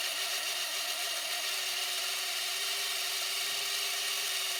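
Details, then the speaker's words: VCR/DVD combo opened up to free a scrunched Handifax tape, now rewinding. A steady high-pitched hiss and whirr of tape spooling, with a tone that drops as the reel slows near the end; the rewind sounds rough, cause unclear. "let's rewind it and we'll take a look at what happens when it rewinds once again there we go hey woo doesn't sound good"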